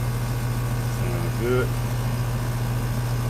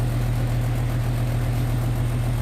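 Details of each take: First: Goodman AC condenser with piston metering, ambient about 77°F, being started and checked with gauges: steady, even low compressor hum with no clatter or stalling; runs smoothly, pressures 152 over 275, not freezing up. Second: Air conditioner outdoor unit at about 77°F outside: steady low hum of the condenser fan but the compressor never kicks in; an old run capacitor is blamed for the compressor not starting.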